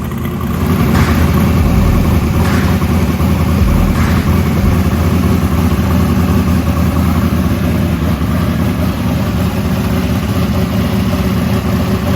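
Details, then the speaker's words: 1968 Camaro SS carbureted V8 at operating temperature, about 170-180°F. A blow-off-valve vacuum leak had caused a lean, high-rpm idle; after the leak was fixed and the idle mixture screws were reset, it gives a deep, steady lumpy idle with no knocks or stumbles. Normal idle. "and so now that the vacuum leaks are fixed i had to reset the idle turn the idle mixture screws back in where they needed to be and everything seems good"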